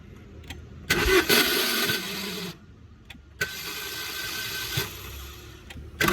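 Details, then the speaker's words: Swift Dzire (tagged diesel) failing to start in the morning: bursts of starter whirring and clatter with dropouts, engine never catches; starter motor failing to crank. It was push-started, then a mechanic began taking it apart. "ಬೆಳಿಗ್ಗೆನೆ ಬೇಗ ಡ್ಯೂಟಿಗೆ ಹೋಗೋಣ ಅಂದ್ಬಿಟ್ಟು ಬೇಗ ready ಆಗ್ಬಿಟ್ಟು ಬಂದು ಗಾಡಿ start ಮಾಡ್ತಿದೀನಿ ಸ್ಟಾರ್ಟ್ ಆಗ್ತಿಲ್ಲ ನೋಡಿ ಈ ತರ ಸೌಂಡ್ ಬರ್ತಾ"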